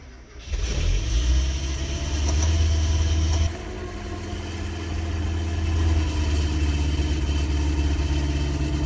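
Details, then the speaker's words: Old Ford Courier with choke: engine catches after short crank and runs loud, rough and uneven with a clattery edge; kind of noisy, cause unclear. "kind of noisy all the gauges are working"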